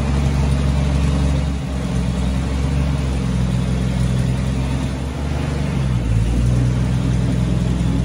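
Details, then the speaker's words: Truck just converted from points to Pertronix electronic ignition at full 12 volts, distributor not yet locked down: low, uneven run lurching and dipping every few seconds; ignition timing still needs setting. "but the truck is running again it started up so i'll try an attempt on camera now you can see how it runs with the new components but definitely some tuning to do"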